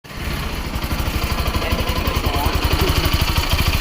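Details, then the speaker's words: Bajaj NS200 bike: engine running with a loose metallic clatter riding on the beat, about three rattles a second; the mechanic blames a worn clutch bell, the gear wheel and a loose timing chain/tensioner, and the tensioner and clutch plate assembly get replaced. "మనకి ఇందులో ఇలా sound రావడానికి గల కారణం ఏమిటంటే, ఒకటి clutch bell పోయింది, GPT gear wheel, మనకి తర్వాత వచ్చేసి టైమింగ్ చైన్,"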